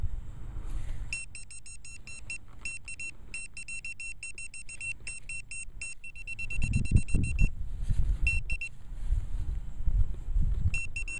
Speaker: Here it is, guys. It's a square bolt, that one is. Just breaking up.